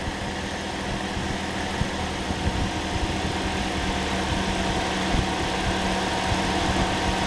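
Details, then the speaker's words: Second-hand Toyota Corolla engine just refitted, started easily after priming: steady even idle, smooth low hum, cooling fan whooshing (possibly due to air conditioning); no engine lights, sounds healthy. "That sounds gorgeous. Started nice and easy, it was already primed, and we turned it over a few times. Yeah, always a worry with the second-hand engine, but that sounds alright."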